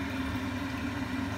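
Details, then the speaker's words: Giannoni heat exchanger boiler firing during servicing: steady loud roar with a constant low hum like a distant jet, from a partially blocked coil; boiler still runs fine, but a blocked coil eventually bangs and crashes heavily. "this noise is a block coil and the boiler actually run fine with a block coil eventually just starts a banging crash heavily"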